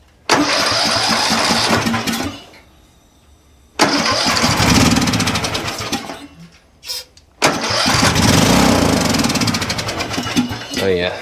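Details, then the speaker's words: Craftsman riding mower engine started on starter fluid, before the HIPA carb swap: catches in loud racing bursts that surge and fade, with no steady idle; overrevving because the governor and throttle were stuck. "Throttle stuck for sure. All right. Yeah, you guys could hear that. It was already trying to overrev. Governor was stuck."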